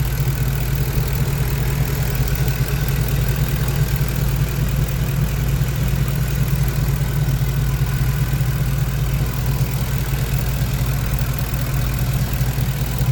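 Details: 2010 Ford F150 4.6L 2V V8 at idle with faint, loosely regular light rattle, loudest on cold start and with throttle, fading after driving; owner suspects piston slap/wrist pin in cylinder 3 or torque converter, not confirmed.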